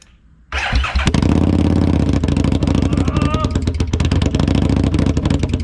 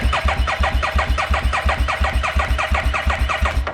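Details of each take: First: 2017 Harley-Davidson Street XG750 fuel-injected liquid-cooled engine on a test stand, cooling system not connected, after shipping damage: cranks, catches within a second and holds a steady, even low rumble before shutting off; runs healthy. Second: 2017 Harley-Davidson Street XG750 engine, liquid-cooled and fuel-injected, damaged in shipping and run on a test stand; spark present after the kill switch was energized. The starter cranks steadily at about three compressions a second but never fires, with no fuel delivered.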